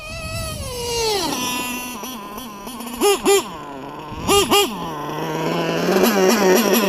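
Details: LRP .32 engine with a Novarossi race carb on its first run of the day: a high-pitched scream rising and falling with throttle blips, sharp and thin at the top end. The high-speed needle is set a bit too lean.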